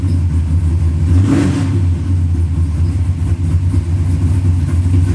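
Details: 1970–72 Chevelle V8 with 4-barrel Holley carburetor after float pan gasket and diaphragm replacement for fuel leak, started with starting fluid: deep, loud steady rumble, one brief rev settling to even idle; healthy normal running.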